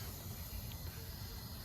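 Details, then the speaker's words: Honda B18B1, leak-down test on cylinder 1 (about 20-23%), cylinder 4 plug black: steady faint hiss with smoke at oil filler cap, none at intake or vacuum; leak-down hiss into crankcase from worn piston rings. "But you can definitely hear it from here. Probably won't pick it up on camera, but we can hear it. And you can see it's pushing the smoke out of the oil cap too."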